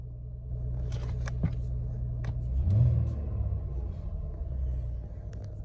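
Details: 2015 Ford Taurus after cranks-no-start repair: quiet smooth low rumble with brief light swell, steady and even; normal running.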